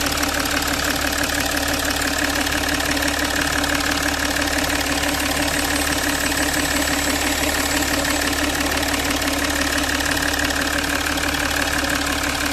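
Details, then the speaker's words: Jaguar XF diesel with an oil leak, misfire (P0301) and restricted performance, after injector and valve cover refitting and a coolant top-up: even idle clatter at constant pitch, no misses or knocks; now running quiet and smooth. "Car बिलकुल silent है।"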